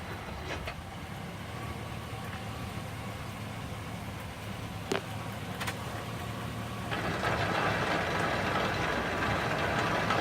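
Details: 2001 Silverado 1500 5.3L with 159,756 on the odometer: a low drivetrain rumble turning to a rough grinding, louder in reverse. It comes from inside near the end of the output shaft; the driveshaft looks fine visually, and the cause is unknown.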